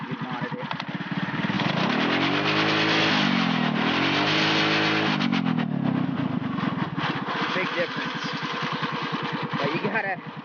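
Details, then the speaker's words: Mini-Baja engine modded so the throttle linkage, pulled tight, lets it reach max RPM: sweeps up to a screaming top speed and back twice, far past the stock ceiling; over-revving, risks blowing the motor. "you got to limit yourself on how much you rev the [ __ ] out of this thing cuz it can blow if you don't watch"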